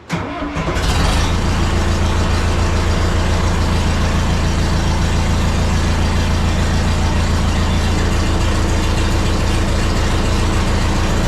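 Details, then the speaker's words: John Deere 70D (EX60-1) excavator with a Deere diesel, started after hard hydraulic lines were refitted; it starts quickly and settles into a loud, raw, even diesel clatter at idle. Open exhaust, no muffler fitted. "So, another annoying thing, well, a couple things. One is the lack of muffler."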